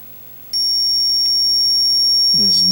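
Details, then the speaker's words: 1980 Atari Missile Command arcade PCB, still dead after a new 6502 CPU was tried, logic probe on the CPU reset pin: one flat, unchanging high tone with no pulsing; reset line stuck, no clock signal. "um oh boy guys we got no clocks do we look here notice anything"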